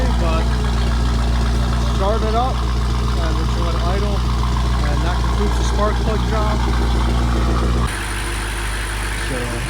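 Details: BMW F90 M5 first start-up after new spark plugs installed, ahead of a planned tune, left to idle: steady, even idle with smooth low hum and no knocks or misses; engine sounds healthy.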